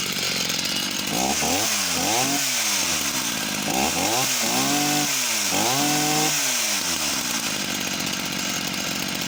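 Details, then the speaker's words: Husqvarna chainsaw of unknown model, restarted with the cover off: small two-stroke revs up and drops back cleanly, then settles to an even tick-over. There is no bar oil feed, which needs repair. Healthy running. "so seems to tick over nice and steady"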